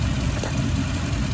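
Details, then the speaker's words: Toyota Tundra V8 at idle, passenger bank: number 6 coil pack unplugged with no change, then number 8 unplugged and the idle changes to a deep, lumpy, loping beat with two cylinders dead; number 6 suspected bad coil. "So number 6 is the main culprit of the problem. So we will unplug this coil pack right here, and I'll let you listen. See how nothing happened? Now, I'll show you, because number 8, when you unplug it, it changes."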